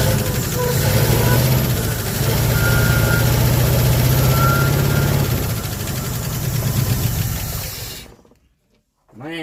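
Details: 1974 Ford F100 V8, locked-up engine revived after 21 years parked: loud, lumpy run with uneven beat about four pulses a second, running on seven cylinders; misfire on one cylinder, vacuum leaks still unfixed.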